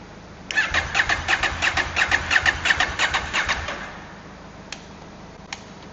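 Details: KTM 790 Adventure twin with hard-start problem, one cylinder sometimes not firing, tank off: about three seconds of even starter pulses, three a second, then stops without catching; hard starting, cause unclear, not fixed.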